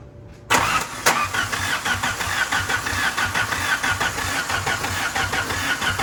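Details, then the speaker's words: Dakota being turbo-swapped with wiring from a 1991 Dodge Shadow, battery charger on: starter cranks the engine steadily but it never fires; no spark, owner suspects the coil driver wiring or junkyard Hall effect sensor. "What in the fuck? Alright, everything's plugged in. I mean, it could be the Hall effect sensor because it was in the junkyard, so it probably wasn't running for some reason."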